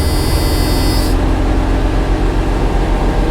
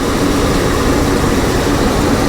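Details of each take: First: 1985 GMC C1500 Sierra with new intake, first start of the day, idle turned down: steady even smooth idle, no knocks or misses; normal idle. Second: 1985 GMC C1500 Sierra after fuel tank and sending unit replacement with fresh gas: uneven, lumpy running with a ragged low beat; misfire, owner suspects one or two dead spark plugs.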